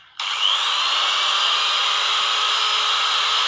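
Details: Angle grinder that sparked heavily at the brush holder and made a growling noise, after trimming and refitting the brush holder: smooth high-pitched whir spins up quickly, holds even speed, no crackle, rasp or sparking.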